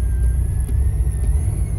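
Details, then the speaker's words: 2008 Corvette C6 Z06: thin steady high whine through the speakers from the right side over the engine rumble, drifting up slightly; sounds like a radio ground issue, but owner attributes it to the VCIM OnStar module under the passenger seat; the unplug-J3 fix only lasted about two weeks. "there's this little whining noise that you'll get comes from the right side of the car it sounds like some kind of ground issue with the radio but it's actually uh the vcim the onstar module that's making an act up"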